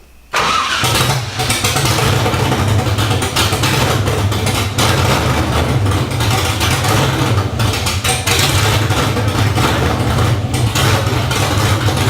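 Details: LS1 V8 swapped into a 240sx, first start on open headers with an untuned ECU and a new fuel filter after priming oil pressure; catches right away into a loud, even, deep burble with a steady beat and no knocks.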